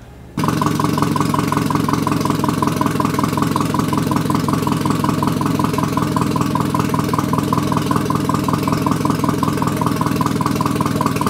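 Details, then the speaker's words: Nissan 240SX KA24E turbo build with new bearings, first start on a MicroSquirt ECU after timing adjustment, about 900 rpm. A steady, even idle with no misses or knocks. The TPS reads inaccurately and a tune is still pending. Finding: normal idle. "I pulled all the bearings out and put new ones in so everything seems to be sounding okay"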